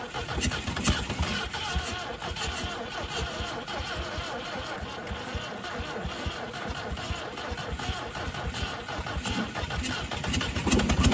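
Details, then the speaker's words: 1971 MGB first running after 20 years in the woods, rotor and cap refitted: uneven, lumpy running with irregular pops and spits, no knock; some valves still sticking and fire blowing back through carburetors needing overhaul. "obviously do need to go through the carburetors we do have some valve still sticking a little bit obviously with the fire blowing back at my"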